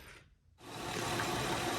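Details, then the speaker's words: Honda Pilot J35 3.5 V6, 207,000 miles, after failed bank 2 cam and original timing belt replaced: smooth even idle with only faint injector tick, sounding normal and quiet. "Here we are, all put back together again, and sounding just like it's supposed to sound. You can hear a little bit of injector tick, but it is nice and quiet."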